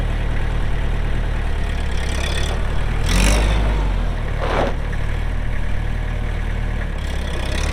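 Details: 2004 Kubota M6800 4WD pre-emissions diesel tractor, 1,181 hours: steady, deep diesel rumble holding even throughout with no knock or miss; running smooth and healthy.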